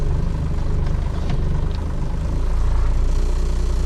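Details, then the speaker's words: 1996 12-valve Cummins diesel in drive, idle dropping from about 500 to about 200 rpm; deep, slow, lumpy thumping, nearly stalling; idle speed set far too low, suspected cause of hard starting. "This idle is so low, guys. Like this is terrible how bad this idle is. This thing idles worse than mine does"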